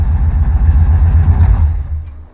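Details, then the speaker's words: Old Chevy with a crank-no-start fault, fuel pump powered by a jumper straight from the battery: the pump runs and the engine starts with a deep, even rumble; no fuel pump signal reaching the pump, relay not found; normal running. "You can hear the pump going. And then go ahead and hold it, Chess. and the car will start up and run."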